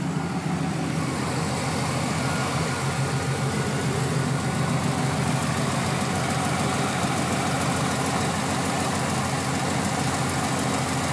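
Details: 1996 Chevrolet Camaro Z28 LT1 V8 idling evenly with a faint, quick light tick over the rumble; owner suspects valve train needing valve adjustment, cause unconfirmed.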